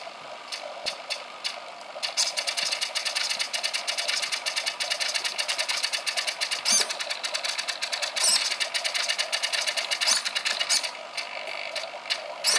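Fast, loud, fairly irregular metallic chattering, about a hundred-odd taps a minute and mostly high-pitched; a harsh chatter with no clear cause.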